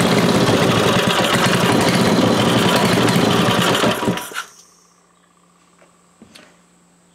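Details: Briggs & Stratton 5 HP small engine after converting points and condenser to electronic ignition: runs at a quick, even beat with no misfires, then winds down cleanly when shut off; normal running.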